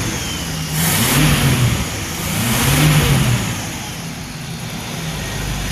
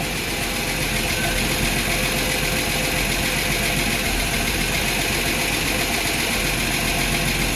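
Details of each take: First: Ford Maverick 250 inline six in a Willys sedan delivery, first start after 15 years sitting, choke and timing adjusted, valves freed up (lifters earlier noisy): revs up and settles twice with even firing, no misses or knocks; running cleanly. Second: Ford inline-six in a Willys sedan delivery, first start 15 years after install, with the rebuilt carburetor's stuck choke cleaned: steady idle with a fast, light ticking of about four per second; noisy lifters, hoped to pump up.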